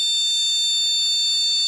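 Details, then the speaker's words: Motherboard powered on with no RAM installed, buzzer speaker fitted: a steady high-pitched beep holding unbroken, this board's long repeating beep code for RAM not detected or not installed. "Pada papan ini, kode untuk RAM tidak terdeteksi, atau RAM tidak terpasang, berupa bunyi bip panjang terus menerus . Bunyi bip panjang."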